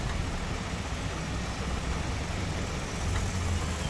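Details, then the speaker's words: Maruti Suzuki WagonR on CNG after fixing the failure to convert to CNG (CNG filter/pressure regulator service), idling: low even rumble without the earlier heavy shaking and misfire; engine now runs smoothly, AC works. "पहले engine बहुत हिल रहा था missing हो रहा था अभी देखि perfect है"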